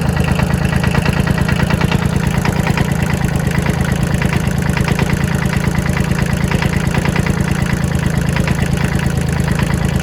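A small diesel idles with a loud, harsh clatter, about three sharp knocks a second over a heavy low rumble.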